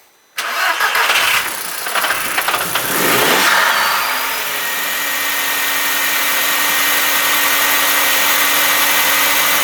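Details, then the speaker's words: Audi/VW 1.8T 20V engine, during N112/N80/SAI/canister delete with resistor emulators fitted, no dash errors: engine catches and settles to idle with a steady high whine and drone from the noisy secondary air injection pump. "même bon là cette fois on entend bien la pompe à a secondaire là qui fait du bruit donc on va s'en occuper après"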